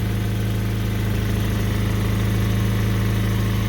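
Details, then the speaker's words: 2010 Kia Soul after an exhaust repair using homemade metric nuts: a steady idle with faint rhythmic puffing about four times a second. A slight exhaust leak remains; the catalytic converter studs are rotten. "I think it still has a slight leak to it but yeah it's kind of leak you can hear it but there it is that's the repair"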